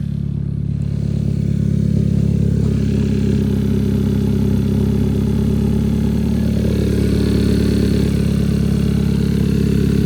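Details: 2012 Hyundai Veloster starting after exhaust work, with a hole where an exhaust bolt is missing: a steady, slightly lumpy idle with a soft regular ticking puff about four per second. Small exhaust leak downstream, header gasket hoped intact.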